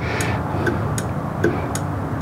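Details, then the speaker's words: Dodge Grand Caravan's old battery with a dead cell on a charger reading 14.4 V: sharp clicks about twice a second over a faint hum as the charger keeps cycling on the bad cell. "definitely driving the charger crazy and you can see when it's being charged it's at fourteen point four which is pretty normal"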